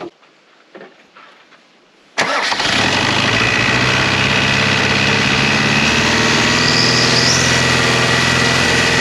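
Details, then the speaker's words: Land Rover 6x6 diesel after Bosch VE injection pump swap to a 300 TDI pump: catches after short crank, settles into a fast, hard-held idle that never drops; over-revving, owner suspects throttle needs adjusting for different pump. "And that is me back to where I was about 2 months ago. It's over revving. Probably need to adjust the throttle or something with a different pump."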